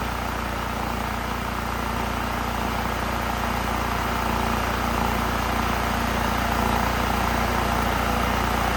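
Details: Honda EU3000is inverter generator that smoked and made no power from a sticking choke running rich; after the choke fix, smooth steady drone with an even pulse and no misses or knocks. Normal running.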